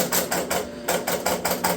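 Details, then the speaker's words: 1971 Williams Klondike pinball machine, restored after years in a barn: quick run of even mechanical clacks about six per second as score reels reset to start a game; clean, regular, normal game start score reset. "all right scores are resetting let's counting through to our three balls to play position balls kicking out I would say we have Victory"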